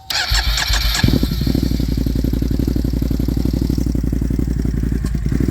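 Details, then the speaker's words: 2021 Can-Am Outlander 570 XMR: rough idle with a fast, lumpy thump that wavers in and out, a squirt or burst sound cutting out inside the airbox; owner suspects the fuel pump and is replacing it. "you guys can hear it cutting out somewhere inside the air box"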